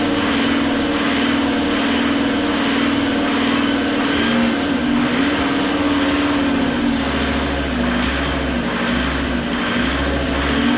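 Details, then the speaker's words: Fiat Marea 130HLX, sat in a workshop for years, first restart after code light cleared: engine note swells and sags in slow uneven waves instead of holding steady; owner suspects something left off; hunting idle, cause unconfirmed. "Well, you know, you can't win them all, but it runs up and down, up and down, up and down. It's probably something I've left off."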